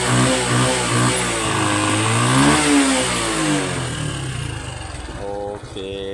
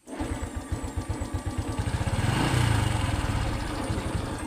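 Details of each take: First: Honda Wave 110i LED (c.2019) after replacing burnt, shorted spark plug cap: picks up cleanly on throttle, climbs and falls smoothly, settles with no misfire. Previous intermittent start and throttle stall fixed; normal revving. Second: Honda Wave 110i LED (c.2019), intermittent starting, stalls on throttle; fuel pressure good near 3: uneven stumbling beats about four per second, sagging as throttle opens. Misfire traced to shorted spark plug cap.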